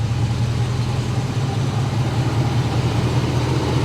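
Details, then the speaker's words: Whipple-supercharged Hummer H2 truck V8 at idle: deep, smooth, even and quiet with no ticking, knocking or whine; normal idle, though belt slips slightly under hard acceleration. "She's nice and quiet."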